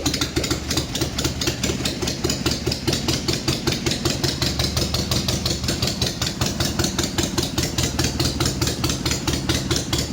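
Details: Motorcycle engine idling after a carb rebuild, float adjustment, needle raised, new throttle cable, heads torqued, valves checked, ignition retimed and an air leak fixed: steady even beat, about 2.5 a second, no misses. Slight oil weep under the heads.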